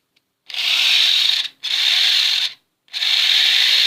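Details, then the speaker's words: Old abandoned electric shaver after restoration, trimmer function tested on mains power; three even bursts of bright steady buzz as switched on and off, no rattle or drag; trimmer runs normally. "Yes, also the trimming is working."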